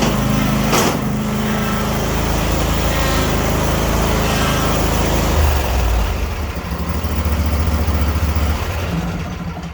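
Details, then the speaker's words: Craftsman YS4500 42-inch riding mower running after drive belt and idler pulley replacement. Smooth, even run, settling slightly lower near the end; no squeal, whine or grinding from the belt, PTO or transmission drive. "Everything's working good, no noise out of the PTO when you let off the brake or anything like that, or no noise out of the transmission drive at all"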